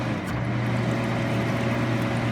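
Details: Philco Noiseless 6800 BTU window air conditioner from the 60s–70s, fan switched to high before compressor start: steady even low hum with smooth airy rush, no rattles or scraping; fan runs cleanly on high.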